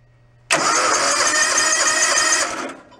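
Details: John Deere X360 riding mower that sat unused 10 years, aftermarket coil: about two seconds of quick, even starter cranking with no firing; cranks but won't start, weak spark found.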